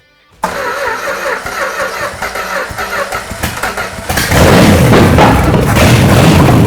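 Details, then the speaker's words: Scrapyard 1968 Dodge 318 V8, seized 20 years, overhauled for a 1969 Charger, first start on open manifolds: cranks, catches at once and settles into a strong, steady idle that fills out with slight revs; the transmission shaft is spinning. "Man, this thing that sounds great. I can't believe it just fired like Oh, I mean, you know what? You put a lot of work into it. Of course, it's fired."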